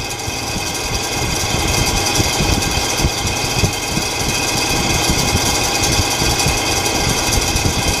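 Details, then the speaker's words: Heater fan running: loud buzzing rattle chattering fast and unevenly over the fan hum, badly vibrating; the fan needs replacing. "oh I think it's time to put a new uh a new fan on this is annoying all right turn it off please"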